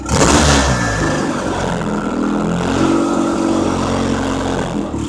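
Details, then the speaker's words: Turbo engine with 4G63 stock blow-off valve JB-welded to intercooler, open at idle and venting metered air instead of recirculating to turbo inlet; idle swells and hunts unevenly, owner says engine goes rich and lopes: unstable idle. "flicking a switch the idols funny now cuz you know it's not all the metered airs not inside the engine so like"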